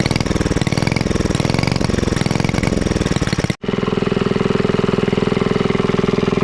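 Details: Rare Clinton 1100 series single-cylinder four-stroke antique engine, revived after freeing a stuck exhaust valve, now with an original oil bath air cleaner, new exhaust and fabricated governor linkage; steady even thumping about 3.5 beats a second, no knocks or misses, normal running.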